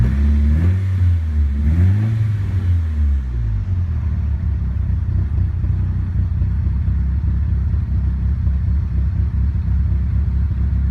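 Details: Nissan Silvia S15 petrol engine with a low, uneven, lumpy rough idle after a throttle blip; began after a full respray with the engine removed and reinstalled, having run perfectly before removal, cause still unknown.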